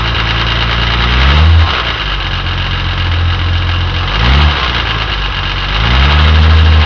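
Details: Jaguar E-type Series II: engine idles with loud uneven clatter rising and easing in waves, appearing to come from timing chain end of the exhaust camshaft; persisted after several repair attempts, cause unconfirmed.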